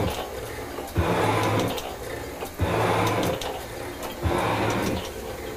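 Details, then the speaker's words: Metal shaper cutting a cast iron block to width at feed setting 3: steady, evenly paced strokes about every 1.5s, each a firm rasp and clack. It handles the heavier cut comfortably. "I'm gonna bring it in my hand here that sounds pretty good donut let's see if it'll take the feed yes it will"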